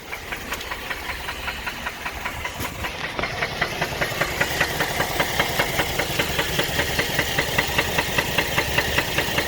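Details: 2010 Buick Enclave 3.6 LLT GM V6, 79k miles, after overheating on a hot drive: heavy steady knock about two and a half beats a second, running in gear held on brakes under load.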